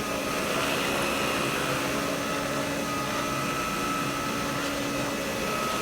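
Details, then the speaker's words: Vintage Electrolux power nozzle after fitting a brand-new brush roll: steady motor roar with a smooth whirring brush and slight vibration; running normally, sounds better than before. "Anyways, let's hear how the head's going to sound with a brand new brush. Wow, that sounds better."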